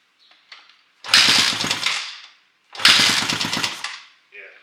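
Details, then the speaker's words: 2006 Honda CRF450X with 450R top end, first start after rebuild: uneven popping bursts that sag and die between blips because the idle screw, found fully unscrewed, is still set too low to hold idle; choke used, screwing idle in. "Let me screw the idle, just screw in a little bit more. Sounds like it's too low of an idle."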